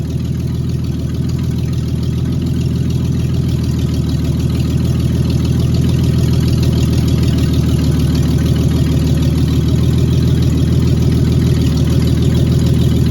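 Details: Cab-over van conversion engine after refitting the distributor cap, on an electric fuel pump: steady, even low idle with no misses, knocks or ticks, oil pressure 40 psi; running smoothly and healthy.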